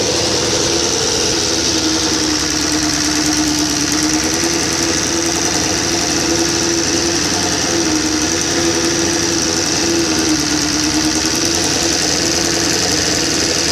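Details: 1999 SRAD 750 after a rebuild with a high-compression 600 head and freshly adjusted valves: a quick, even mechanical top-end tick over a busy idle. Owner suspects the cam chain tensioner; not confirmed. Engine ticking noise.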